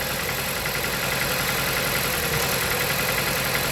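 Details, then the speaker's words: 2016 Jeep Patriot, 162,000 miles, misfire codes P0302 and P0171: rough, uneven idle with irregular exhaust stumble; unplugging this coil brings no pop and no idle change, so this cylinder is dead; coil suspected, swap test planned. "Man, I don't hear a pop, but let's see if it'll change idle. Nope, no change there."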